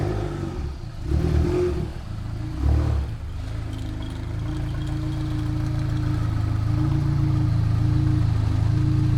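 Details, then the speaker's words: Newly bought broken German car (Audi or BMW), unknown condition, oil level not checked, at idle: low, uneven idle pulsing about four times a second with a raspy, blatty exhaust note; rough running, cause not yet known. "It sounds terrible. >> Sounds terrible. >> I hate how it sounds. That sounds so bad."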